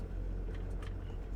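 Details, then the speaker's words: Honda Element driven over rough ground after replacing the front sway bar (stabilizer) bushings, one of which was missing. Only low, even road rumble with no knocks; the earlier front-end clunk is gone. "Oh. Yeah, I think that did it."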